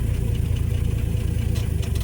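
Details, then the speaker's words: Classic Dodge after alternator and voltage regulator replacement, original belt reused, gauges rising: even, steady low idle pulse with no misses, knocks or squeals; normal idle. "Yeah, regulators changed. The car is running correctly."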